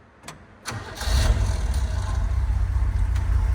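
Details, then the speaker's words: 1969 Chevrolet C30 manual transmission with PTO, refilled with fluid (still a quart low) after sitting 20 years: engine settles into a steady low idle, no gear clatter, clutch out, in and out of gear; normal, quiet. "Listen how quiet that transmission is now. Even with the clutch out. Clutch out. Not in gear. In gear, no noise."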